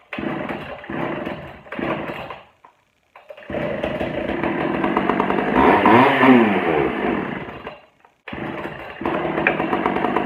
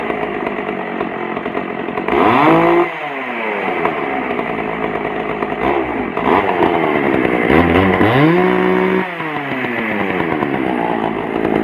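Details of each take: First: Pioneer P41 two-stroke chainsaw, long unused, just after carburettor cleaning, on choke. It sputters, cuts out, catches, and revs surge and sag unevenly. Rough running. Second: Pioneer P41 chainsaw, old non-running saw, after carburetor cleaning and low-speed mixture adjustment; a crisp two-stroke buzz revs and drops cleanly back to a steady idle without stumbling. Normal healthy running.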